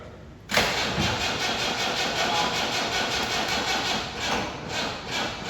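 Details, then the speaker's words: 1994 Chevrolet Corvette project after throttle body cleaning and coolant flush, fuel primed and plugs gapped; long cranking with uneven sputtering, only a couple of cylinders firing, not running on its own. Fuel delivery issue suspected. ">> Popping off on a couple. >> All right. That's not burning off your fuel. >> I think I have a fuel issue right now."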